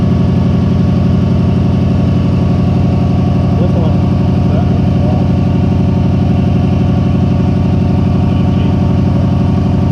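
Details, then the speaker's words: Subaru idling: loud, lumpy idle with uneven beat about twice a second, stumbling and misfiring, also accelerated poorly; cause found to be a bad idle air control valve (IACV). "this baby is misfiring so check all your sparks check your injectors"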